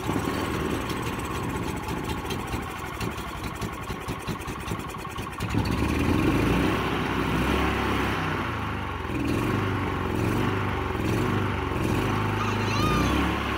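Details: Honda GX340 11 hp engine, carb and tank cleaned, running unmounted on concrete: loose clattering as it vibrates and slides around, then a steady, clean run and rev. Normal running.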